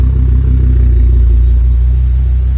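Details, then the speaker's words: Volvo S60R, B5254T4 engine, 249k miles, after replacing spun crankshaft timing gear, IPD exhaust: steady even low rumble, smooth idle, no knocks or misses; reduced engine performance light from damaged front O2 heater wire. "just running sounds good this has been six weeks trying to get this silly thing to run and then end up being a Frank pulli now it's running"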